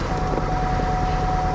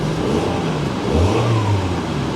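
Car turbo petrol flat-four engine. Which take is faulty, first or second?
first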